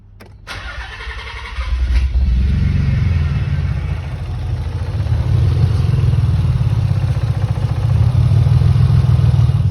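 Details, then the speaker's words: Nissan 300 engine after timing reset, runs much better: cranks, catches and settles into low idle with uneven stumbling beat; misfire on cylinder five, spark and injectors to be checked. "it is running a heap better, but it's missing on cylinder five for some reason."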